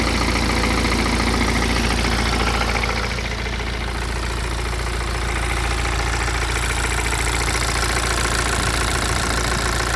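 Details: BMW E87 116d, N47D20C diesel with 220,000 km, idling steadily with a fast, regular metallic rattle layered over the low engine hum.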